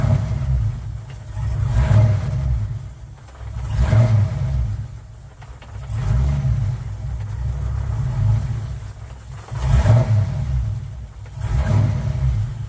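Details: Car "Suzie" just after new starter fitted, started on a weak battery; turns over and catches at once, lumpy loping idle with slow surges about every two seconds, roller-cam-like; running fine.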